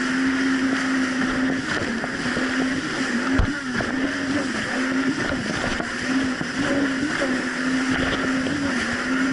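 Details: 2007 Yamaha VX Cruiser jet ski on choppy Lake Michigan after new .028-gapped spark plugs replaced mis-gapped old plugs: steady drone holds even pitch with small rises on throttle over wind and water noise; no surging, running clean.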